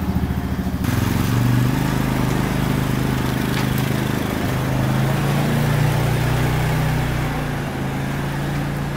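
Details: 1999 Honda Foreman 450 4x4 ATV with plow, revived after sitting about 10 years: single-cylinder picks up and holds a steady even beat, revs slightly and settles without misses, no smoke out the back; normal running.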